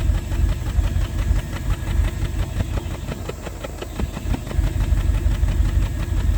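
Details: 1988 Bentley Eight V8 at idle, recorded at tailpipe: lumpy exhaust with uneven pops about three per second, more pronounced as hand nears pipe end, indicating misfire in one or more cylinders.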